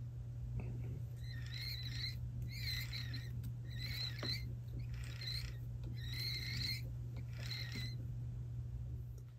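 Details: Unlubricated sprag-style one-way bearing, before lubrication: high chirping squeaks repeat about every second over a low motor hum, from the dry sprag one-way bearing.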